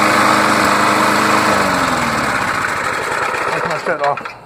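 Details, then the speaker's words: Old Tecumseh lawn mower engine after head gasket replacement: fairly steady buzz with an odd uneven beat now and then and a little backfire, then winding down at shutoff; occasional misfire. "anyway it's running it's not perfect you can hear us here there's a little little miss in there every now and then a little backfire but hey it's old"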